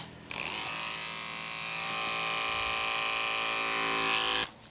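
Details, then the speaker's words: Andis Pulse cordless dog clipper, full battery, with brand-new #10 blade; steady even high-pitched buzz from switch-on to off, no bogging, unlike the power drop with a blunt 7FC blade. Normal running. "That's the Andis pulse running normal compared to this 7 watt needs sharpening."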